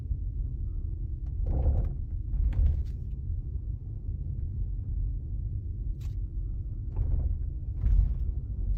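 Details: Tesla Model S on rough road: dull thuds in short bursts over low road rumble, from clunking in the front suspension.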